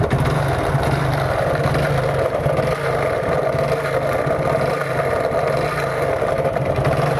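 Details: Motorcycle single-cylinder engine ticking over with a rough, scraping clatter over the exhaust beat; mechanical fault, cause unclear; abnormal engine noise.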